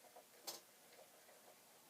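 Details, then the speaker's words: Commodore 1541 disk drive that previously refused to read, loading a program, possibly a sequential file: quiet light ticking a few times a second, no knocking or rattling; reading normally. "anyway all this is reading off the disk i'm assuming maybe it's a sequential file that it's reading"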